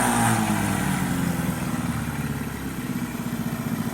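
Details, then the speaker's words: 2002 Mercury 15 hp two-stroke outboard on a 2005 15-ft John boat, running in a water-filled trash can: even, steady burble at about four beats a second with no misses or knocks. It idles smoothly and is healthy. "That's what you gotta love about Mercury's. They always run good and smooth for you. We got it set up out of the little trash can here just to show y'all that it runs good. But she idles nice."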